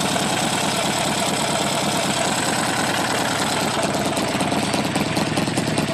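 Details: Buell XB12R V-twin at idle: a fast, light ticking riding over the uneven thump; cause unknown.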